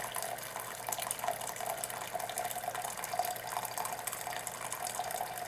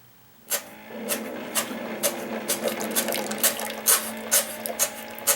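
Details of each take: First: Keurig K60/K65 after clearing pump blockage and cleaning nozzle: low steady pump hum under water streaming into cup, even dispense without stalling, then pump refills internal hot water reservoir, heater drawing about 1200 W; normal brewing after repair. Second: Keurig K60/K65 that won't brew, medium cup attempted after turkey-baster clearing of reservoir outlet: pump buzzes steadily with sharp spitting bursts about twice a second as excess pressure trips bypass valve and water escapes rear overflow.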